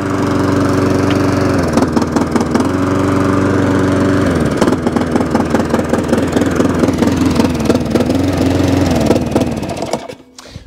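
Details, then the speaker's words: Discarded mower (HT boot found off, drive cable moved) running fast with irregular clattering knocks, reluctant to stop; owner later judges the knock to be a loose guard and the non-stop to be a misadjusted switch cable. "Now that's got a bit of a a knocking noise. Oh, it don't want to stop."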